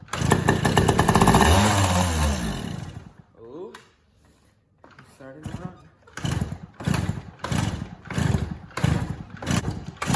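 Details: Yamaha PW80 with new carburetor, choke not working, suspected air leak causing runaway revs: engine runs rough and loud a few seconds then dies, later kicks give only short coughs; likely fuel starvation, no fuel flowing from carburetor drain.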